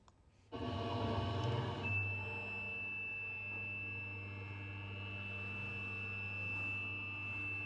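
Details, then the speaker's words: CNC milling machine, original (unoptimized) toolpath of a milling operation: steady piercing high ring over spindle hum through the cut, chatter vibrations a machinist would not want to hear; optimized toolpath later removes it. Milling chatter. "So this is not a sound that the machinist would like to hear in the machine. So this is the sound of the bat vibrations or we call it chatter vibrations."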